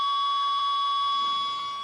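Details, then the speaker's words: Ten Tec Paragon #1 (working transceiver), AM transistor radio held by the processor: steady whine and hum with faint once-a-second real-time clock interrupt ticks; CPU noise lower than the non-working Paragon; clock running normally. "now you can hear the real time clock ticking tick tick tick tick that's the interrupt from this board for the actual 1 second Paul keeping"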